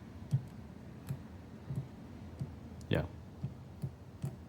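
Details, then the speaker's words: 1993 BMW K100, 75,000 miles, fuel pump with voltage at fuse and wires, also fed 12 V direct from battery: faint soft clicks about every half second with no pump hum; pump clicks but won't prime, being replaced with a new one. "you can just hear it clicking but it doesn't actually Prime so I'm going to order a new fuel pump and see how it goes"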